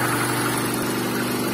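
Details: VAZ 2110 8-valve injector, previously no idle and no start without gas pedal; after replacing the idle air control valve, smooth steady idle with even low hum, no hunting or stumbling; normal idle.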